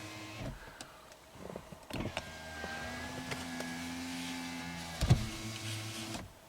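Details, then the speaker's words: 2017 Subaru Outback power window after reinitialization procedure, still not fixed: motor whines upward, hits a sticky spot with a thump, then runs the other way; anti-pinch trips on track binding, down works. "Well, that's messed up. That's still not fixed. So down works. It doesn't like something up there."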